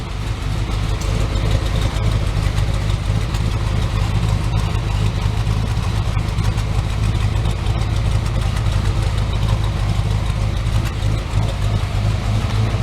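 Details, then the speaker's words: Chevy S10 V8 warming up, around 750 rpm idle with temperature rising: deep choppy lope about three surges a second from the aggressive cam, heard at the rear; normal. "And let you listen to it in the back. You can hear the loping cam."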